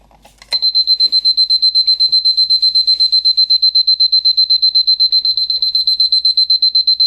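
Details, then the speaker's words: Battery Lorus (Seiko) Mickey Mouse alarm clock, later version, alarm set for 1 o'clock and switched on: shrill high beep pulsing evenly about four times a second, steady and strong; alarm working normally. "I've set the alarm for 1 o'clock, that's why it's working. So we'll put the alarm on and listen to it."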